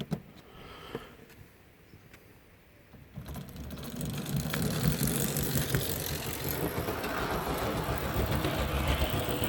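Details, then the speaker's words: HST model locomotive with CD motor and DCC conversion: the loose pinion flops behind the cog and comes off, so the motor whirs steadily with nothing driving after a quiet start; needs re-tensioning. "So it'll basically do half a revolution of the track and then it will come off, and it will just sit there with the motor whirring, which I'll see if I can get it to go like that now."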